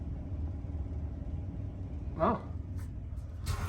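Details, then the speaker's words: AC unit over 30 years old, being fixed DIY after capacitor and wiring work. The outdoor condenser fan motor gives a low, steady electrical hum with no fan rush: it is energized but not spinning. "please be spinning oh look it's not spinning I can hear it though it's like the electrical is trying to go but it's not going"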